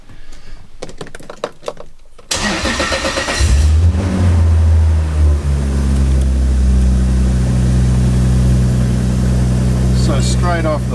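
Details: Toyota Soarer with swapped 2JZ-GTE inline six, possibly low on fuel: short crank, fires at once, blips up and drops to smooth steady idle with no misses; healthy, no warnings apart from the ABS light.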